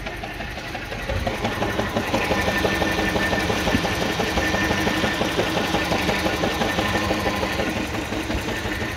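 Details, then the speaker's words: 2007 Mini One 1.4 petrol, 6-speed, at idle: uneven stumbling beat with occasional dropped pulse; misfire somewhere, cause unknown, owner suggests mixture may be running a bit rich. "Like I said, it's got a misfire somewhere. It could be an easy fix, then again it might not be, who knows."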